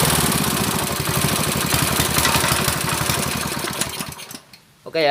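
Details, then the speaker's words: Honda GX160 water-pump engine with black spark plug and frequent stalling, after carburetor adjustment; chugs fast and unevenly then cuts out, still abnormal running; carburetor suspected, not confirmed, plug to be checked. "Okey ya suaranya masih ada yang janggal Menurut saya masih ada yang janggal"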